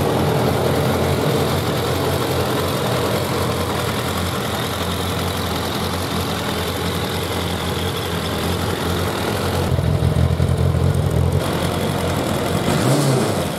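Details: Suzuki Bandit 1200 four-carburettor naked bike at idle during carburettor synchronisation; steady, even low idle with a smooth exhaust pulse, no hunting or stumbling, a brief rev blip, carbs well balanced, a smooth idle.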